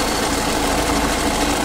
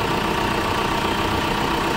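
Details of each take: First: New-version Tata Safari diesel, customer complaint of loud noise from the engine front after starting: idle carries a steady rough whirring drone; belt removed to isolate it, found to be a faulty alternator clutch (overrunning) pulley. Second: Tata Safari diesel after alternator clutch pulley replacement, idling with AC and headlights on: steady even idle with no growl, the earlier rumbling from the engine bay gone; alternator tests good at 13.7 V.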